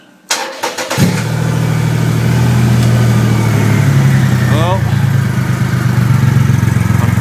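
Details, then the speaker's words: 2008 Triumph Rocket 3 after the starter relay mod, second start: brisk even cranking under a second, then the triple catches cleanly to a smooth, steady idle; starter and relay working well. "sure that's her done that looks good starter relay looks good perfect"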